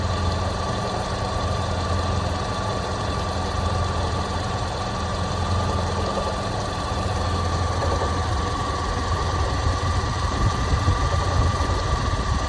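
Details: Toyota Prado 120 2.7 2TR-FE, 30,000 after overhaul: light irregular knock at idle, intermittent, now constant after warm-up despite new oil pump, lifters, VVTi valve and tensioner; oil pressure ~1.2. Cause unconfirmed; engine knock at idle.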